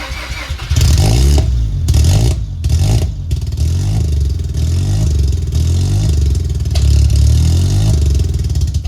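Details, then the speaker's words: Mazda RX7 rotary after long storage, in neutral, catches and runs, drops out a couple of times, picks up unevenly and dies; owner suspects a part pulled from an automatic car, cause unconfirmed. "okay well she was running and she died"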